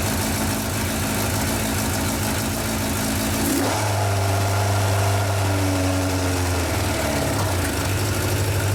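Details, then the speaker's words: Yamaha 1200 FJ four-cylinder café racer, final start: rough for a few seconds, then settles into a smooth, even idle that holds. It starts well and runs cleanly. "on a vu que la moto démarré bien qu'elle tenait son ralentit"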